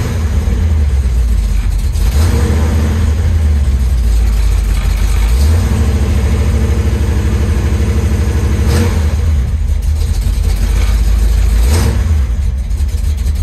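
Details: 1973 Chevy Nova V8 with Street Demon 750 carburetor (EFI removed), started cold after sitting several days: loping, uneven low idle surging with blips every few seconds, hard starting; owner plans cold-start adjustments.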